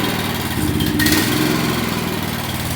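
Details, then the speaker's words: Small single-cylinder gasoline power washer engine, after diesel was accidentally put in the fuel and cleaned out, runs with a lumpy, uneven beat and a brief surge; still rough from leftover diesel, expected to improve with time. "she's still running a little bit rough gonna run a little bit rough at first gonna take time"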